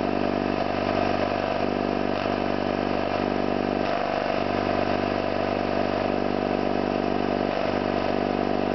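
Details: Orlík 2 JSK 75-2 compressor, one of the first starts after a full overhaul (concentric valves and seals redone), motor temporarily started in star due to household breaker; steady hum with even beat about 2.5 pulses per second, no knocks, running normally.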